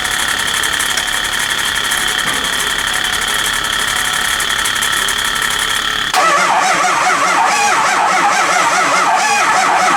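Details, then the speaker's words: Early 2004 Ford Excursion 6.0 Powerstroke diesel, sat a while, no start, oil overfull, coolant tank empty: cranking about four beats a second that speeds up and slows unevenly, hit-hit-hit-spin; fuel and some combustion present, dead cylinder suspected. "you can actually hear it when it's cranking that it it it speeds up and then it slows down it'll hit hit hit spin hit hit hit so it's got a dead cylinder"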